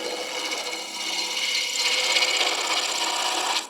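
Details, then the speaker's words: Shopsmith MARK 7 lathe at about 1,000 RPM turning ash bud vase from firewood: cutting sound changes from clunking on the corners to a steady, even high hiss once stock is round; smooth clean cut. "You can hear the the sound of the cutting change. It goes from clunking to hissing when I go from cutting off the corners to cutting the"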